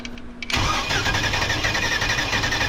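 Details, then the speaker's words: V8-swapped mini truck on its first start attempt with a temporary exhaust, with a fuel leak from an untightened fuel filter hose clamp. The starter cranks steadily after a quiet click but never fires: no spark because the coil's negative side was left unwired. "got no spark why we have no spark see if you forget to wire up the negative side of the coil you don't get any spark"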